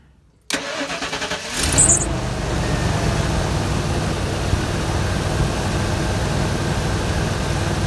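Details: Ford F53 chassis Holiday Rambler motorhome after a fan clutch replacement for overheating: a short crank, the engine catches with a rev flare, then settles into a steady, even idle with no knocks or squeals. Normal start and idle.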